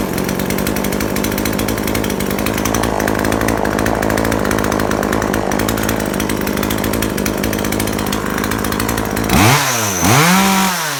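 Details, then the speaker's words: Chainsaw after the mixture needle was adjusted to cure an over-rich condition: strong, steady high-speed scream through the cut, then crisp, clean rev blips. Normal running under load. "ต่อไปเป็นปกติอ่ะนะเนี่ยก็ประมาณนี้แหละ"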